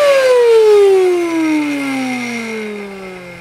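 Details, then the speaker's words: Hoover Dustmanager bagless 2200 W vacuum, model DML5224, made 2011: motor whines high then sags steadily lower, laboured and unhealthy, with next to no suction; cause not yet shown. "And the problem with this machine, it doesn't sound too healthy. Have a listen."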